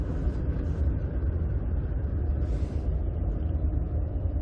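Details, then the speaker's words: Ford F-150 6R80 six-speed automatic, driving under light throttle: deep rumbling throb like rumble strips as the torque converter clutch applies; torque converter clutch shudder, an extreme example. "You hear it's like, it sounds like we're going over rumble strips. That's the best way to describe it. It feels like you're going over rumble strips, you know?"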